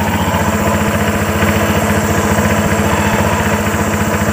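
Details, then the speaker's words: Honda Vario 125 scooter idling with the CVT cover open, before the pulleys are sanded: a steady rapid chuffing slap about four a second, "sek sek sek", from the drive belt slipping on the primary and secondary pulleys. "Dan mengurangi suara ngegrosok, sek sek sek sek sek sek sek sek. Nah, bisa teman-teman dengarkan ini nanti suaranya setelah kita amplas dan sebelum kita amplas dan sesudah diamplas. Ini sok sok sok sok sok, ada terdengar suara pibelnya."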